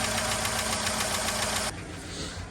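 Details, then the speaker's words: Chevy 5.3 V8, first start after timing chain and Melling oil pump replacement: a busy metallic lifter clatter over the idle settles once oil pressure builds. Lifter clatter on cold start that quits shortly after. "Just as we were doing an outro, the lifter quit clattering, so. Sounds good. No more terrible noises, so."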